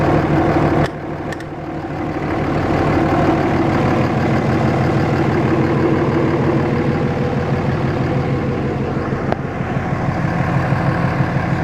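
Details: Cummins 5.9 24-valve diesel in a Dodge: rough chuffing idle with a steady pulse about three per second and major crankcase blow-by. Caused by a bad injector that wasn't caught in time.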